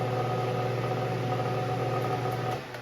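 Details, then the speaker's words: Lasko wind machine fan: a steady low buzzing hum with a rough edge that happens only while the motor runs and stops when the fan is tilted up. The owner suspects the stator or bearings, though the bearings seem fine. Abnormal motor noise. "it only does it when the motor is on I want is this Stater going out like what happens I like this too bad cuz this is a pretty good fan what is that sound is that the bearing"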